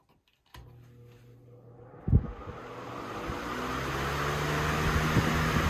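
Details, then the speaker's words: 1994 Lakewood HV-18 fan after motor cleaning and bearing oiling: motor hum comes on and the air rush builds smoothly to a steady whoosh, no rattle, scrape or bearing squeal; normal running. "The motor is all back together. It's nice and clean now. It runs great."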